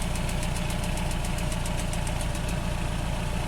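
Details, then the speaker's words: 1985 Nissan 720 with a computer-controlled carburetor at a rough idle. A faint crackly snapping, about two per second, comes from a spark plug wire leaking spark through its tape; the wires need replacing. "You hear that? That damn spark plug wire's leaking right there through that tape."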